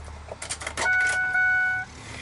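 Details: 2004–2008 Ford F-150 door after window regulator and motor replacement, motor reconnected and key on, raising the glass to fully closed. About one second of steady, even motor whine, then a clean stop at the top; healthy window motor.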